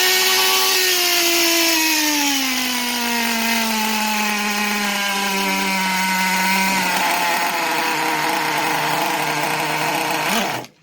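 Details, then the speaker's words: Traxxas T-Maxx 2.5 RC nitro engine after throttle trim raised for idle: high scream, pitch sagging over several seconds, then abrupt cutout; keeps stalling at idle, no bubbles seen. "Keeps dying out, and I don't see any bubbles in there, but see, that's the only thing I remember that I hated."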